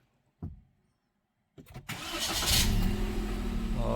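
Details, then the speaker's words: Perodua Axia 2024 that wouldn't start due to a two-year-old weak battery, after fitting a new Century Marathoner Max NS40: brief crank, catches on the first try and settles into a smooth, even idle. "guys, dengan sekali start dia terus hidup. Ah memang bateri ni dia sudah sampai masa."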